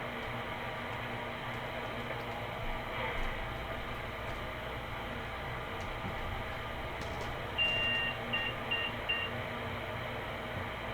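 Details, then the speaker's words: PC at power-on self-test; four short high beeps over quiet room hum, a BIOS beep code indicating memory failure. "hopefully you heard those beeps those are called beep codes and almost every computer has some kind of beep code"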